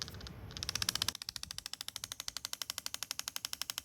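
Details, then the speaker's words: 2008 Chevrolet Impala HVAC blend door actuator, opened and run off the car with no load: fast, even plastic ticking about ten a second, from two or three missing teeth on the actuator gear. "Because you got to remember it was against load on the blend door, so it just spinning is going to make this sound. But if you introduce a load to it, oops. Kind of hard to do with it apart, but basically it'll do this because those teeth are broken, and then it's okay, comes around, pop, pop, pop, pop, po"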